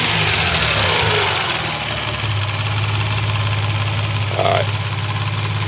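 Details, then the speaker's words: Mazda 626 with KLZE V6 at idle, noise from rear of engine: fast light ticking about three a second like lifter tick; cracked valve spring retainer from valve float with weak factory springs; timing belt tensioner slightly loose. "y'all can hear the ticking you know that my friends is a cracked valve spring retainer"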